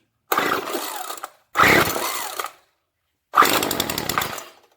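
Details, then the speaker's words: Weed Eater TE400 two-stroke string trimmer after new primer bulb, fuel lines, tank clean and spark plug clean, first start; three short high-pitched buzzing runs about a second each, crisp and steady, firing and running cleanly. "Oh yeah, she'll run. Mongo do like Mongo do, let her run out back for a good half hour. Had a good running little machine, pretty neat too."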